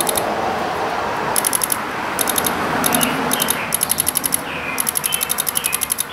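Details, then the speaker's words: Chrysler Pacifica with multiple TIPM electrical faults: pressing the horn button causes bursts of sharp, dry clicking, about four a second, from the fuse box. Relays 55 and 56 (wiper on, wiper high/low) are suspected of clicking; cause unconfirmed. "it felt like these two relays uh 55 and 56 which is the wiper on relay and the wiper high low relay it felt it felt like these two at least the best I could feel through my meat nuggets that those were the ones clicking for whatever reason"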